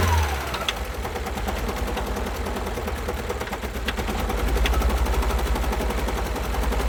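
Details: 2012 Alfa Romeo Giulietta II (Tipo 940) 1.4 petrol, 120 PS, engine 940B7000, 164,000 km: lumpy, uneven idle with heavy irregular chuffing and missing pulses; two cylinders have no compression.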